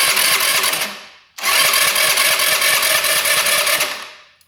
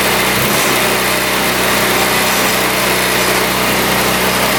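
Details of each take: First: 2017 Tao Tao non-running scooter on electric start: two quick whirring cranking bursts with an even, light beat but no firing; it turns over without starting because an exhaust valve has zero clearance. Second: 2017 Tao Tao scooter on choke after tight exhaust valve fixed, carburetor cleaned, fresh fuel and oil: small engine fires right up and holds a steady, even buzzing idle with no stumbling; running healthy.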